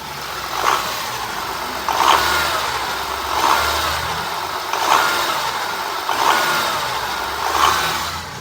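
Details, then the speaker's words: VW Amarok engine running with the belt removed: short chirping squeal repeating about every 1.4 seconds over a steady hiss, persisting without the belt; suspected internal, lubrication deficiency or timing chains, unconfirmed until disassembly. "a gente desligou a correia aqui ele vai funcionar você vai ver que a correia não funciona e que o barulho persiste"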